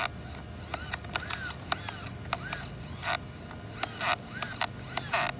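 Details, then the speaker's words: Brand-new ARRMA Outcast 4S RC car out of the box: short bursts of harsh ratcheting chatter, about two a second, when steering is driven; gears stripped inside the steering servo, later found a part not installed. "And listen to this. You can hear the gears stripped out inside the steering servo."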